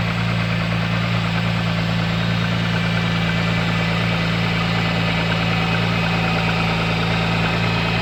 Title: MG ZS 180 Engine Knock